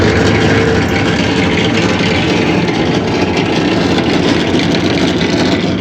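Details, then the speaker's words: Maytag washer during the spin cycle: loud, steady rough grinding roar with no clear rhythm; another technician blamed the bearings, but the cause is unconfirmed. "dice el cliente que cuando cuando la pone cuando está exprimiendo cuando está en el spin hace mucho ruido como pueden escuchar dice que hace demasiado ruido cuando está exprimiendo"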